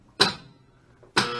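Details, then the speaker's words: 1972 Bally Fireball pinball: two sharp clacks, then a steady hum as the 10-point scoring relay stays stuck on; stuck scoring relay. "yeah that's what would happen you can hear the relay that's stuck on"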